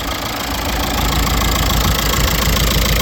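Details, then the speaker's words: Broken 2006 MK5 Jetta TDI diesel, just started with jumper cables: lumpy, uneven chatter about three to four beats a second over a deep rumble at idle; rough running, owner notes these engines are known for cam lobe wear. "a little rough look at it it's sad looks like she's running a little rough"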